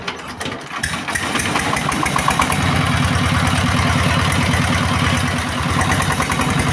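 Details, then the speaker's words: S-1115 rice-mill diesel after service with main parts replaced: catches and settles into a fairly even, soft chug around three beats a second with no knocking; normal idle, much quieter than before repair. "ठीक है, डीजल दोस्तों, आखिरकार परीक्षण खत्म हो गया और मालिक ने कहा कि डीजल इंजन की आवाज पहले की तुलना में बहुत हल्की है"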